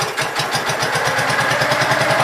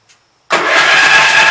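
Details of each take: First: Gravely Pro 12 single-cylinder, choke on, just above idle: steady rapid even chuffing, no knock or miss; deck not turning easily; engine healthy. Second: Gravely Pro 12 tractor, in neutral, remote air cleaner left open (owner suspects water got in): fast hollow cranking, hissy rush, no compression beats, firing back out the intake; stuck intake valve, no compression.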